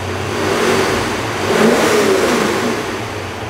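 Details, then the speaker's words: Supercharged C5 Corvette V8 that had a nasty knock, after repair and exhaust refitted: strong, smooth rise and fall in revs with no knocking or rattling; previously sounded like it was coming apart when revved. "wasn't able to rev it up like this before because it sounded like it was coming apart that sounds good now that's what a motor is supposed to sound like"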